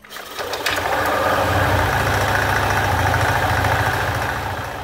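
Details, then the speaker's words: Yamaha Aerox 155 scooter after a CVT service for oil seepage and judder at 40 km/h, reassembled with one of two pulley washers left out: it starts and idles roughly with a coarse rattle and faint ticking. Refitting the washer restores smooth running. "Oke sudah terpasang semua kecuali satu ring yang masih belum terpasang dan efeknya seperti ini bunyinya kasar"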